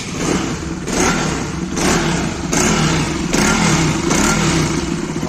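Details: Bajaj Pulsar RS single-cylinder engine after rebuild with new crank, timing chain and coolant, reused head gasket and original sensors; runs steadily with a few throttle blips amid street noise, even and healthy, no knocking.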